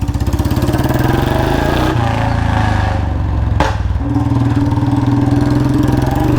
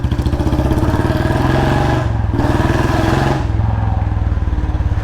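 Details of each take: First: Royal Enfield Bullet Standard 350 single-cylinder: steady thump with a sharp puffing chuff at each beat from a slight leak at the front exhaust header pipe joint, before a new packing gasket is fitted. Exhaust leak at header pipe joint. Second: Royal Enfield Bullet Standard 350 single-cylinder, after a new packing gasket: deep, even thump with a steady beat and no ticking or puffing leak; the exhaust is fully sealed. Normal exhaust note.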